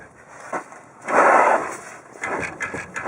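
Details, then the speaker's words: Dull metallic thumps as the torsion bar crossbar is pulled down on a Chevy Silverado; its mount bushing was completely gone, letting the bolt bounce and clunk when driven; fixed by replacing the torsion bar mounts. "um the bolt that holds the torsion bar crossbar was bouncing up and down making a hellacious racket"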